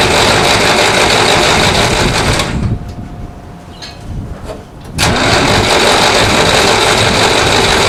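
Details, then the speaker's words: 1960s Massey Ferguson 165 tractor, coolant drained for winter, using choke: steady cranking, pause, more cranking with no firing; spark confirmed but only a little fuel from the carburetor, suspected stuck needle or unfilled bowl; fuel starvation. "I wonder if that bowl's not filling. Tap around on there. I put a spark tester on a plug wire and cranked it, and we've got spark. So only a little bit of gas comes out of the carburetor, which is a problem."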